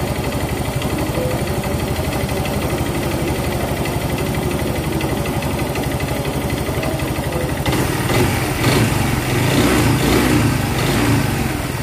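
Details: Yamaha Mio Z fitted with a Vario 125 FI piston, with a new block and piston set a few months old, arrived not running: loud, fast metallic clatter about four a second over a rough idle, harsher on the blip; top-end knock, full teardown planned.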